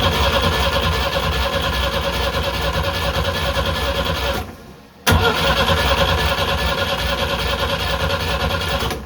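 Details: Sailboat engine that had earlier failed to start from a flooded fuel system: steady cranking at about two and a half turns per second, a pause, more cranking, no firing. Crank-no-start; good spark is confirmed, fuel delivery is next to check.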